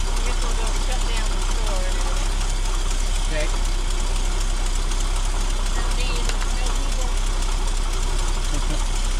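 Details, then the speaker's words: 1966 Ford F250 4x4 that dies when the throttle is released, after an idle screw adjustment: rough, uneven idle with faint irregular ticking puffs over a low rumble. Exhaust leak. "well we got an exhaust leak to fix we got to work on this idling"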